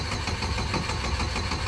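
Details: Turbo Cavalier that ran earlier, just given a little gas after possibly running empty: the starter cranks quickly and evenly, about five beats a second, but the engine never fires; the cause is unknown.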